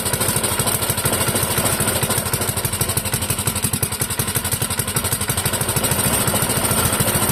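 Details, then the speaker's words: Clinton model 3100 small engine on the bench, running on half choke: rapid, slightly uneven popping putter at low speed, somewhat rough and rich. "It is currently running on half choke."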